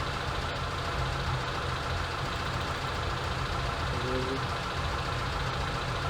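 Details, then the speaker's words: ZAZ Sens with rebuilt engine that sometimes stalls and won't restart: after idle speed was adjusted, a steady low hum with an even level and no hunting or misfire, normal idle. "так добре в принципі автомобіль робить добре нічого такого"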